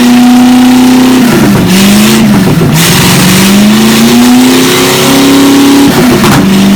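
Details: Chevy 283 V8 from Facebook Marketplace, first run on the shop floor: strong, smooth drone climbing and dropping cleanly with each throttle blip, no misfire or knock; normal running and revving.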